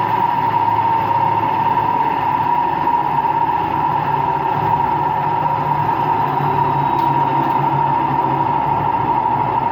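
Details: Washing machine on an empty high-speed rinse-and-spin cycle gives a loud, steady roar with a strong humming tone. The owner suspects worn motor and drum bearings, unconfirmed; no leak was seen.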